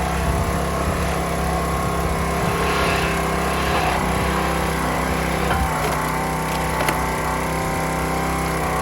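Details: County Line 25-ton log splitter single-cylinder engine, fuel replaced, splitting in vertical position: holds steady even drone while splitter works, barely dipping under hydraulic load; healthy running.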